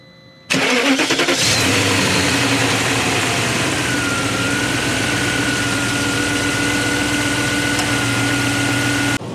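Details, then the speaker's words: BMW M62B46 V8 (E39/E38/E53) after repairing the broken oil filter housing cover (torqued max 25 Nm), previously rattling on start: catches cleanly into a smooth quiet idle, steady belt whir, no chain rattle; oil pressure shortage was likely the cause. "fonctionne très, très, très silencieusement, je pense qu'en fait, la pression d'huile manquait un peu"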